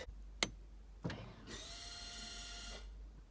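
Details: 2017–2020 Honda CR-V, rear caliper electric parking brake released from the cabin with ignition on, engine not started, brake pedal pressed: a click, then a steady motor whir for about 1.5 seconds that stops cleanly; parking brake releasing normally.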